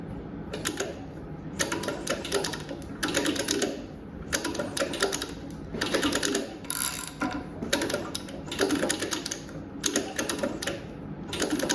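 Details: Nova engine turned slowly by hand after fitting a new upper and lower timing set, dampener and chain damper: slow, uneven bursts of light metallic clicking persist. Valvetrain clatter, source still unfound; timing set made no difference, so cam bearings are next to check.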